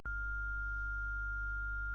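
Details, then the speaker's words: ESP32 outputting a sine wave to a Bluetooth speaker: clean, steady high beep without dropouts over a faint low hum, after the trigger was delayed to every 15 seconds with Wi-Fi off. "So now you hear it. It's now nicely beeping."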